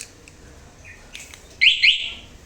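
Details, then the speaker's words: Suzuki Address scooter, aftermarket alarm armed with key locked: a light bump immediately sets off a shrill rising-and-falling electronic siren; the alarm is oversensitive, and its durability is judged poor. "oke nah untuk durability-nya menurut gua kurang ya dan juga sensitivitasnya ya ni Coba gua kunci gue senggol dikit ya Tuh langsung bunyi Guys"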